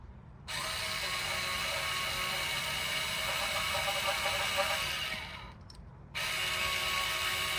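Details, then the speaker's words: 2023 Nissan Pathfinder electric parking brake caliper motor, powered by a 12 V drill battery in service mode during brake job: steady high whirring gear hum, brief dropout, then even hum as it retracts the piston normally. "So it's actually retracting right now. Once you see once you hear that humming noise, that is the motor retracting the piston."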